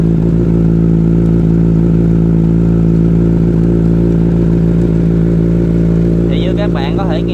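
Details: Motorcycle chain after spraying chain lube with the engine running: engine runs steady in gear with no rattle, slap or clatter from the chain; quiet, well-lubricated chain.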